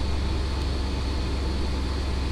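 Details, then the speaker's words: 2000 Chevy S10 ZR2 after new spark plugs, battery and corroded terminals replaced: a smooth, even low idle hum with no misses, knocks or ticks; runs fine. "started it up and uh it runs fine so now i'm going to put everything back together headlight grille all that so as you can hear it's running"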